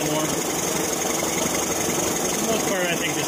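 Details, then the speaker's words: Evinrude 40 hp outboard, not in the water, with idle timing checked around 750 rpm and 4 degrees: steady, even idle with a light hiss and no stumbling or knocking; normal idle. "so as far as time idle timing goes we're fine although in mind we're not actually in the water here but the most part that's pretty close Lincoln's idling okay"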